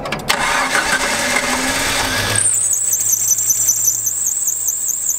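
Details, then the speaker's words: Engine started after fixing a distributor cap installed backwards with reversed firing order: engine catches with a high wavering squeal over the idle that soon goes away; runs on all cylinders, squeal cause unknown. "the squeal will go away in a little bit but she started up squeal went away sounds like she's firing at all cylinders it's running good"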